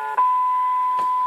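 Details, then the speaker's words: CB radio with intermittent, low receive: reception drops out, then slowly returns with a steady high whistle and crackles; a faulty antenna relay with bad contacts breaks up received audio, and touching it makes the problem go away. "now there's no reception and if we sit here for a while actually it eventually will come back and it's slowly it's f in oh yep now there's that weird noise"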